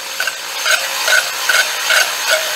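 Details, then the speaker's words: Honing a freshly bored Chevy 327 block with a corded drill: steady rasping hone drone with a soft knock about every 0.4 seconds as the stones bump the bottom webbing, confirming full-depth stroke. "Um, let me make sure. Yeah, we're getting all the way to the bottom with the home stones."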